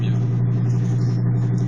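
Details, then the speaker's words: BMW E36 on a 400 km road drive: a deep steady drone, with a low growl buried under the loud aftermarket exhaust, from a completely dead rear wheel bearing. "qu'on entend distinctement, c'est l'échappement de kéké qui est en place mais surtout le roulement de roue arrière qui est complètement mort.."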